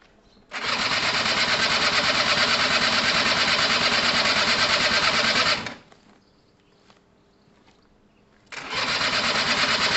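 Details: Gilera DNA 125 two-stroke: starter spins hard for about five seconds, pauses, then spins again without catching. There is fuel and power and the oil pump works; something was said to have overheated; spark is still to be checked. Cranks but won't start.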